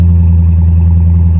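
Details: Salvage-auction V8 with good oil level, no check engine or airbag light: deep, even rumble holds steady with no knocks, ticks or misses; engine sounds healthy.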